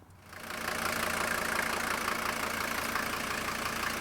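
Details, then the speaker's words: Non-turbo OM617 diesel from a 1980 Mercedes 300D, in a wagon: quick start rising to a steady, even, smooth idle clatter with no misses or stumbles; healthy engine. "Starts up like you can't believe, and look at how smooth that idle is. And it has that nice, really nice, healthy sound at idle."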